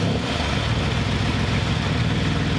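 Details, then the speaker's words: Ford F-150 rebuild, first start after a new frame install with some items still unhooked; starts first try, steady even low rumble with no misses, knocks or rattles, normal idle. "there we go wow that's awesome first try that means everything's working so good"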